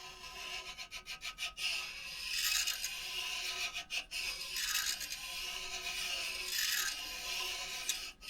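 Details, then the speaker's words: Ridge reamer turned by hand inside a cylinder of a 2000 Yukon LM7 5.3 block, run without oil: dry, hissy scraping that rises and falls with each turn as the ridge is cut off the bore. "And then you take your tool and you just go around in circles. And you can hear the scraping sound."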